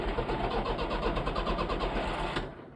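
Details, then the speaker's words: Leyland tractor unserviced about 15 years, on jumper cables: starter turns engine over slowly and steadily, about three pulses a second, without firing; owner feared seized engine, starting-fluid test then pointed to fuel delivery issue. "that doesn't sound good hopefully she's not dead cuz that would be a bad time"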